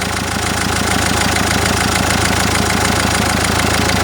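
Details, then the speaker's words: Common-rail diesel at idle: quick, even tapping like an injector knock, actually a high-pressure fuel pipe pulsing because its plastic clamp is loose; pressing or raising the pipe silences it, and unplugging the injector connector stops it. "реально заздаёт, как будто форсунка стучит. Разъёмчик снимаем, не стучит. Одеваем, стучит."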